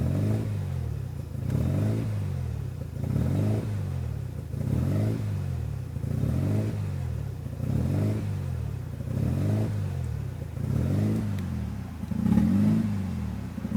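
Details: 1993 RHD Mazda RX7 right after installing a Power FC (wires not cut); low idle surging and sagging about every 1.5 seconds, never settling, a rough hunting idle.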